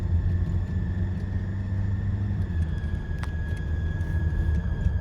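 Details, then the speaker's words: 2002 Nissan Frontier after clearing P0300/P0302 misfire codes and cleaning the EGR pathways: steady, even engine rumble with no stumble, no bogging at 40-50 mph; a belt squeak remains. "But overall, it is running great. It doesn't bog down at all when I hit 40 to 50 miles an hour."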